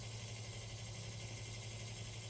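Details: 1970s/80s Spanish-made Limit Ariel 12-inch oscillating desk fan, round-grille model, on low at about 65.6 W; quiet hum with a constant rough buzz from motor winding insulation rubbing the rotor.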